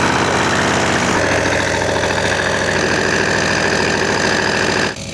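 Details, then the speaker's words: Newly bought old diesel tractor, needing service, running at idle: even diesel clatter and steady fan rush, no missed beats or heavy knocks, then a clean shutdown; engine and power take-off seem mechanically sound. "It's not bad in terms of sound. Mechanically, everything seems to hold up, even the power take-off."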